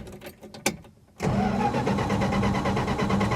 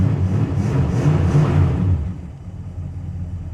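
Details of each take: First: 1966 Plymouth Fury II 318 V8 after a tune-up with the distributor rotor refitted: starter churns steadily about three beats a second but it never fires; no spark, though fuel is confirmed present. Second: 1966 Plymouth Fury II 318 V8, started after wiggling and contact-cleaning wires, before tune-up: revving settles into an even, low V8 burble with steady beat, no misfire or tapping; normal idle.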